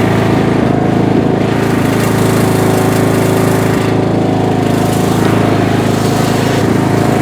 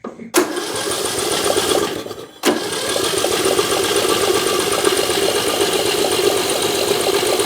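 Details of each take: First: Bolens M762F lawn tractor, 10 hp single-cylinder, revived after a no-compression teardown, on a test drive burning off spilled oil: loud steady chug about four beats a second, even under load; runs healthy. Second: Bolens M762F lawn tractor engine, cranking after oil sprayed into the cylinder: starter spins fast and evenly with no compression chug; zero compression, suspected exhaust valve hanging open rather than stuck rings.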